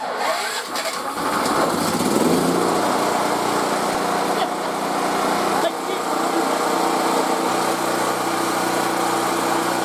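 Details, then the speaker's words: Mobile welding generator left uncovered outside about 10 years, serviced and started on the choke, which is then turned off: it catches and settles into a steady, even, quiet drone with no misses, putting out about 122 V at the plug. "this thing's been sitting for like 10 years unreal and it's pretty quiet I'm impressed"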